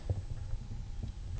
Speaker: uh which works very well but it makes a high-pitched noise continuously that is very annoying